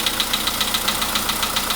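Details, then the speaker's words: Polo Sedan, 99,329 km, cold start with dash showing 15 degrees: sharp, loud, regular metallic ticking-knock about seven per second over idle, anvil-like, fading as it warms over five minutes; internal engine knock worsening over time. "Это прям вообще. Чуть-чуть, я не знаю, как наковальня."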